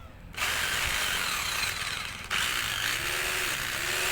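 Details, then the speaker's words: Hammer drill after forward/reverse switch repair, fully reassembled, checked in both directions: steady high motor whirr with clean even note, no grinding or rattle; normal running. "ये देखिए दोस्तों हमारी drill बढ़िया से चल रही है, दोनों तरफ कोई परेशानी नहीं"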